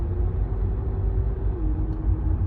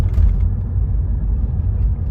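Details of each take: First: 2015 Renault Megane 3/Fluence 1.5 dCi diesel coasting on the road without throttle, before the hose swap: a steady mid-pitched drone over road rumble, caused by the stiff original fuel return hose. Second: 2015 Renault Megane 3 / Fluence 1.5 dCi diesel on a road test after replacing the hard diesel return hose with a softer one; steady engine and road rumble, no droning hum when coasting, braking or accelerating.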